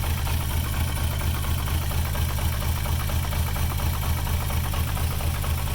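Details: VR6 engine with starting problems at idle, throttle nudged slightly: a heavy, lumpy, pulsing throb about twice a second. Rough idle, cause not pinned down; a little smoke comes from the intake, which they attribute to the PCV valve.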